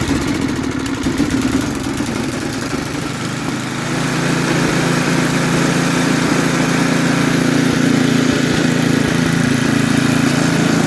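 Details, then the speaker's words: Snapper 8 hp 26-inch snowblower, fully warm, carburetor tuned one and a half turns on high and low speed: an even single-cylinder putter that picks up smoothly to a firmer run about four seconds in; normal idle and throttle response. "all right so it's plenty warm I tuned it it idles great and it throttles up really good too"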